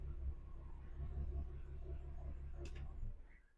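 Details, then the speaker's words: Porsche Cayman S with cylinder 3 misfire (P0303) and engine management light: low idle rumble with uneven lumpy pulses missing the beat, sounding worse than before; dead cylinder misfire, here from a cracked ignition coil. "Do we think it sounds worse than it did? >> I think it does."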